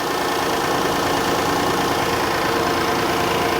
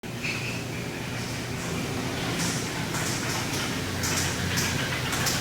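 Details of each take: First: 2017 Kia Sedona with 3.3L V6 replacement engine (original spun a rod bearing), 151,000 on the odometer, on the lift bleeding power steering: steady, even idle, no power steering pump whine, no knocks or misses; normal idle. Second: 2017 Kia Sedona 3.3L V6 idling: uneven tapping from the lower end under running noise; spun rod bearing knocking, engine to be replaced.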